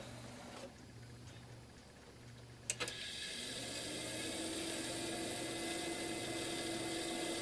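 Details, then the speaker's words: Digital picture frame's small cooling fan that caused a house hum, after oiling the bearings and reassembling: a click, then a steady rising whir with a rough edge. Worn bearings, better but still noisy; expected to quieten as the oil spreads. "not great but better [Music] in time as this runs that oil is going to get slung around in there and we'll get a little quieter over time"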